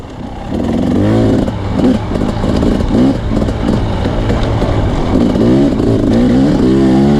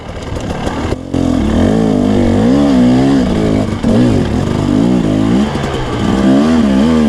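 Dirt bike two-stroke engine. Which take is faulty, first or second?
first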